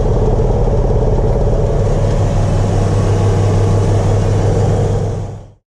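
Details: Early-build 1999 Porsche 996 911, 54k miles, well warmed up, during air-oil separator crankcase vacuum check (5.2, spec 4–7): smooth, even low rumble at warm idle, no knocks, ticks or misses, then winds down; healthy.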